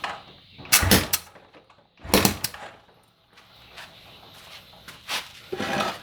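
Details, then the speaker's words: Motorcycle with spark plug removed, finger over the plug hole while kicking or starting: sharp, strong puffs from the plug hole with each stroke, indicating good compression. "terdengar letupan seperti itu berarti kompresinya dalam keadaan baik"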